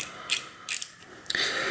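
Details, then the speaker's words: 2000 Trek 6000 with a Shimano FH-C201 freehub, spun by hand after the old grease was flushed out with spray. The pawls click crisply and evenly and it turns free and light with no drag. A normal freehub ratchet. "now when it's fairly well flushed out it should be turning pretty smoothly and you hear the paws clicking in there and so that's a good sign that you have it pretty well flushed out"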